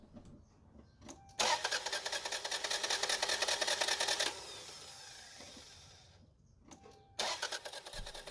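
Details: Engine cranks with a fast, even starter whir for about three seconds but never catches; crank-no-start, with timing belt, fuel pump, ignition module or crank sensor listed as possible causes to test.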